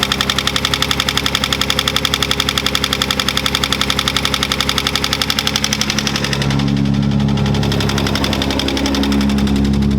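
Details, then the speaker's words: Datsun 280Z idling at about 1500 rpm with an even fast tick while fitting a Mishimoto fan controller; its green wire touched to 12 V positive makes the radiator fan kick on about six seconds in with a steady rushing whoosh that holds. "So if you just give it 12 volts, it'll make the fan kick on. So I went and just touched that to the positive terminal, and then the fan did kick on."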